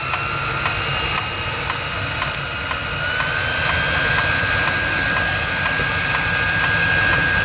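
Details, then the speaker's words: 16 kW Chinese diesel water heater at startup: sharp regular ticks about four a second over a steady fan whine, with more exhaust smoke; the fuel pump pulsing normally as burning begins. "so now the fuel pump clicking in with a bit more smoke out the"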